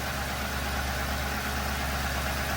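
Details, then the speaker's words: 2007 Ford Crown Victoria after replacing the tensioner pulley, whose bad bearing whined loudly on acceleration: before-and-after comparison, now a smooth, even idle with a steady low hum and no belt-area whine; normal idle. "Last thing we have to do is to just start her up. And here, if we hear that noise. Here's the before. And here's an after."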